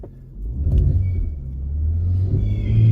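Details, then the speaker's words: Car under power-brake load in drive: a deep engine rumble climbing steadily with no stumbles, and no misfires counting on the scanner; another shop had wrongly replaced number 2 coil instead of number 1. "Yeah, hear that? Tires are burning. Well, you know what that means? Ain't no freaking misfire."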